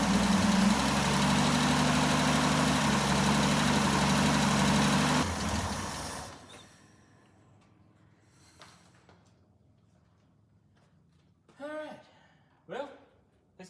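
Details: Jeep J10 after carburetor rebuild, cold weather, about two gallons of fuel: even, regular idle about five seconds before shutdown, no misses or knocks; builds oil pressure, oil burning off, suspected valve cover gasket leak.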